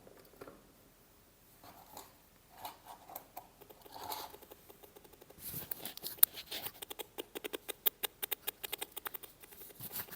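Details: Mini amplifier speaker box for laptops/computers producing no audio: faint, dry ticks repeat several times a second with no sound at all, before repair; typical of a failed power-supply capacitor.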